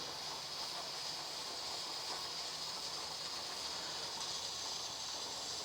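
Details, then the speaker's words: Presto 23-quart pressure canner with second 15 lb weight, heat turned back up: steady steam hiss around the weight, jiggling about as much as the first; dial holding about 14, possibly a little off; normal jiggle. "So that's about how much the other one was jiggling."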